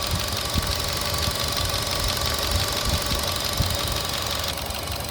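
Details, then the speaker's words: 2014 Chevrolet Cruze with P0171, P0106, P0496: idle stumbles with irregular thuds and misses under a hiss as purge valve hose is reconnected; vacuum leak via faulty stuck-open purge valve. "So the moment I take it off, you can see the fuel trim goes high, and when I place it, you can hear how badly the engine is running."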